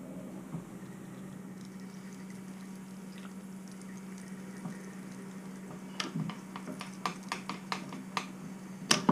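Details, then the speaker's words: Second-hand SPV SAR50 automatic tapping head on milling machine at 145 RPM, after repairing slipping clutch: steady motor hum with light irregular clicks as tap cuts; feeding normally, maybe slow. "You saw it here first. Success. That did work."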